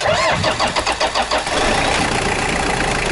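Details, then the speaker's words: Car with a discharged 60 Ah battery and 12 V starter, jump-started with a JFEGWO 8000 A booster: about five quick cranking pulses per second for 1.5 seconds, then it catches straight away and runs evenly; normal start. "voilà, le moteur démarre sans aucun souci."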